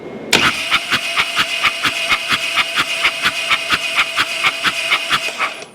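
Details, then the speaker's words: 2006 Harley-Davidson Dyna Wide Glide with weak battery, check engine light on, fuel pump heard, spark checked at front cylinder: starter cranks evenly but no firing, no start; little spark seen, ignition or timing trouble suspected. "okay so no spark and then a spark at the end good as cranking good so that battery we might be able to save on that battery there was a spark at the end and that is ignition troubles or time in troubles"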